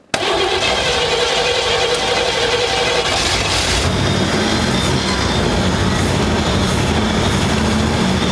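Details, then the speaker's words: 1957 Chevy Bel Air V8, sitting since 1985, running cold off a temporary fuel tank: loud, slightly uneven cold idle not yet settled, improved, no smoke, expected to smooth out once warm. "it's a lot better yeah i still kind of gotta it ain't one idle but it'll warm up though sounds good yeah still no smoke"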